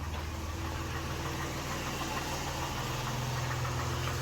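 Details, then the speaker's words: 1990 Dodge Grand Caravan LE being restored, out in daylight after sitting a couple of months, before engine wiring harness repair: low, steady idle with an even rumble and no tapping or misses. Normal idle. "all right anyway it sounds all right so there she is seeing daylight for the first time in a couple months"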